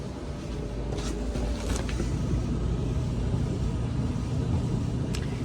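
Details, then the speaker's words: Maytag commercial dryer MED5630HC1 that runs but isn't heating (3387747 heater element fault): even low tumbling rumble with a few soft thumps, no scraping or squeal; drum and motor run normally. "It's supposed to be not heating. Sounds good."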